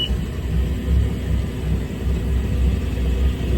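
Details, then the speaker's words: Volvo Penta 4.3 GXi V6 marine engine with lack of power, tested after cleaning the fuel pressure regulator: low, uneven, lumpy rumble at idle, still running pretty rough; cause not confirmed. "now I'm just going to do a test I don't think it's gonna work because it still sounds like it's running pretty rough"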